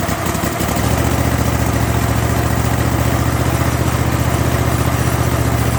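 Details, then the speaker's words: Kohler 7000 series engine on a zero-turn mower after a carburetor rebuild to cure surging. Steady, even idle with a smooth low thump and no hunting; the surging is gone and it works as it should. "well I think I fixed the problem the surging's gone and uh everything seems to be working as it should"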